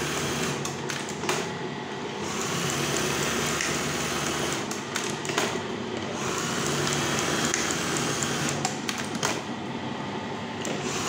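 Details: Brother 814 buttonhole machine, oiled and with cloth placed under it to test its sound: busy, even mechanical clatter with a steady hum, no knocks or grinding; running normally.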